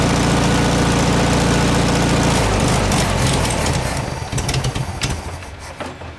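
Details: 1967 VW air-cooled flat-four (ragtop), long-stored, on old stale fuel with fan housing off; thrums evenly then beat loosens and drops away at shutdown. Runs healthy; owner suspects no accelerator pump.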